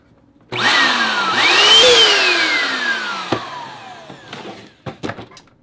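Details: Hoover Power Dash Pet carpet cleaner after replacing its motor and water release valve to fix grinding and smoke: motor whirs up smoothly to a high whine, then winds down cleanly with no grinding; normal motor run.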